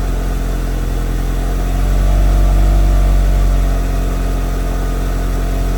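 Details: Mitsubishi Evo after FP Red turbo, MAP manifold and FP oil line install; built motor about 15,000 miles, 91,000-mile chassis: deep even idle pulsing about 220 times a minute with brief mid swell, no knocks or rattles.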